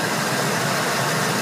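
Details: Ford 4.6L/5.4L V8 after replacing belt-drive pulleys to cure a front-of-engine whine often misdiagnosed as the power steering pump. Smooth, even engine rush with no whine or squeal; the belt drive sounds healthy.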